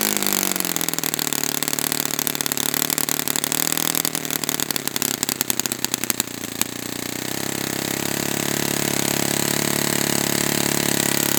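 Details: Brand-new customer Saito FA-100T twin glow engine on test stand, first break-in run: rough uneven patter at start, then steady high buzz; rich setting, oil dripping from exhaust, not lean. Normal rich break-in run.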